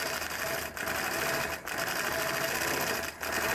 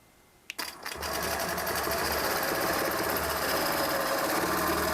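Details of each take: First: The needle sounds like it needs to be changed. So it kind of sounds like it's poking through really hard. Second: Longarm quilting machine stitching ruler-guided feathers on a quilt: an even, steady stitching rhythm with light mechanical chatter for about four seconds, no knocks or snags. The owner elsewhere suspects the needle needs changing; normal stitching.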